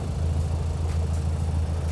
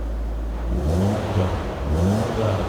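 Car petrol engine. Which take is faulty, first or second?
first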